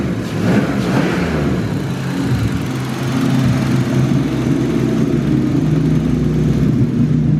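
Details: BMW E36 drift car, M50B30 turbo straight-six (about 300 kW at wheels on 10 psi), first start after heavy-duty clutch install and coil pack work: catches quickly, settles into steady even idle, no misses or knocks; normal start and idle.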